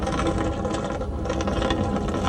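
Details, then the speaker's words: AC condensate drain line that was full of water, being vacuumed without added pressure, sludge pulled off the pipe walls. Steady vacuum roar with rattling, gurgling bursts as gunk is sucked from the clogged line, which is beginning to loosen. "That's all that nasty stuff in there. Against the walls, getting all that sucked out."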